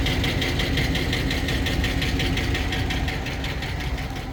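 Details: Hemi V8 idling hot with no check-engine light and no misfire: a fast light tick over the rumble that occurs only when hot; the owner is unsure whether it is Hemi tick or the exhaust manifold.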